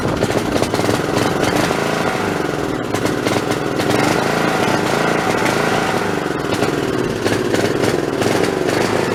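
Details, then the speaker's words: Snapper 3081 riding mower that died suddenly mid-mow, fitted with a known-good plug from a snowblower: loud, ragged note that stumbles and surges, with misfires and backfires. Owner suspects a bad coil/magneto. Rough running. "well that don't sound that good uh that sounds to me like that I took that spark plug out of my snowblower and it was running fine tonight last time I ran that so I'm gonna say that probably that coil is going bad that magnetron unit's bad"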